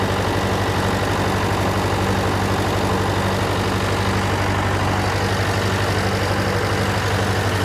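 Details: John Deere 401C diesel idling, with a cracked block and suspected liner O-ring leaks. Lumpy, limping beat about three times a second. A temperature gauge shows cylinder 3 not firing while 4 and the others are hot, so the dead cylinder is traced to a faulty injector.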